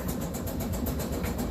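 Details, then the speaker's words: Kenmore-type dryer, noisy before repair: a steady rumble with rapid, even thumps of about eight a second. The two rubber drum support wheels have gone flat; worn drum support rollers. "The drum that spins is supported with two rubber wheels. And those rubber wheels are what supports the weight and it makes it turn."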